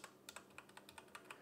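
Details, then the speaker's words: MageGee 60% mechanical keyboard: quick uneven key clacks, each followed by a short thin metallic ping that hangs briefly, like a spring or case ringing; metallic ringing on key presses. "it's got this l metallic ring to it like when you press it the sound of the actual keyboard the the key presses is fine"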